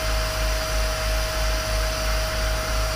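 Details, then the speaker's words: 30 ft powder tanker unloading with compressed air, compartment three checked at the discharge line: only steady rushing air with constant hum, no product rattle; compartment empty, air-only flow. "three you just hear there's nothing but air going down that's fine that's empty"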